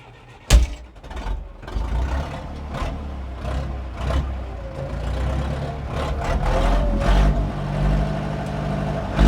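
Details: 1997 Zetor 4340 59hp 4x4 diesel tractor with loader, 1447 hours: cranks briefly, catches at once and settles into a steady, even low rumble with no knocks or misses; runs healthy.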